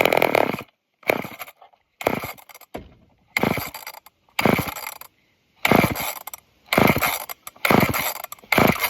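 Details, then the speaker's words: Off-brand junkyard chainsaw, old fuel filter very dirty: repeated rope pulls about one a second, each a short whirring turnover with no firing; owner suspects it struggles to pull fuel through the dirty filter. "Come on, please. Now it doesn't want to anymore. Wonder if it's having a hard time pulling fuel. Maybe because of that filter being so dirty."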